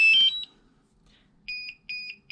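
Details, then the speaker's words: DJI Mavic Air controller that won't charge and drains fast starts with a chirp, then gives repeated high double beeps, the low battery warning; its internal battery is worn and gets replaced. "it just beeps the low battery warning and then when i plug it in let's make sure plug it in right"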